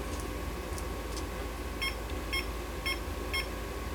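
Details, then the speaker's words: Fluke tester with a 6502 pod on a 1979 Atari Asteroids PCB, with a control error on bit 4 (R/W): four short high beeps about half a second apart over room hum. Error beeping caused by a bad pod cable. "is this a problem with my with my cable now it says it's okay i got a bad cable dammit"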